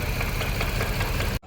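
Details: 2015 Range Rover Sport, newly replaced engine: rough lumpy idle with a regular stumble as cylinder 5 misfires; compression loss from a burnt valve, confirmed by teardown.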